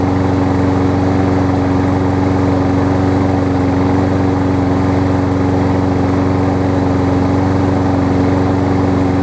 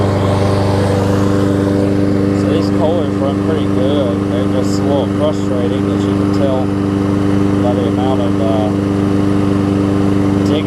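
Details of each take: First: Kohler engine on a Lawn-Boy mower that only starts on starter fluid, running after a starter-fluid start with the air cleaner off: steady, slightly ragged hum; a minor clog in the carb's tiny top jet. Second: Kohler-engined Lawn Boy mower after a carb clean that unclogged the top jet; it previously needed starter fluid to restart. A steady, even drone at constant speed that never surges or misses; the engine runs cleanly.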